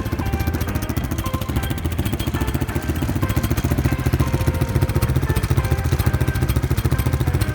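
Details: Honda Wave 125 S motorcycle, starting by kick start only. A steady, loud single-cylinder putter at idle carries a tinny metallic buzz on each beat, from the loose, unbracketed muffler rattling.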